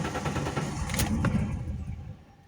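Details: Alfa Romeo 164 2.0 V6 Turbo Busso, unrun for two years and misfiring despite new plug leads and plugs, at first start: two sharp backfire bangs during a rough rumble. Old gasoline is suspected; the cause is unconfirmed.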